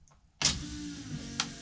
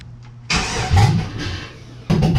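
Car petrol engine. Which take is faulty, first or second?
second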